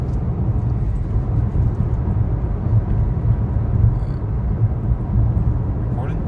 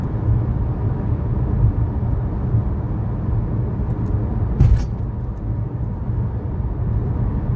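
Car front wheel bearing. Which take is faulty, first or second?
second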